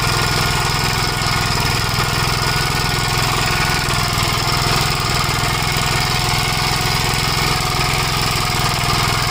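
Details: 1956 Gravely Model L single-cylinder at steady speed, governor removed, after full-throttle running: fast uneven chatter with knocky edge and pops, smoking; owner suspects oil-fouled plug, possibly broken ring; carburetor and points fine; unconfirmed.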